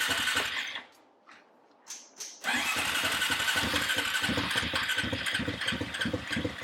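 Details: Honda TRX350 ATV after carburetor cleaning, won't rev: catches after a pause and runs with an uneven, stumbling beat; owner suspects insufficient back pressure for the carb slide to lift, and possibly a needed valve adjustment.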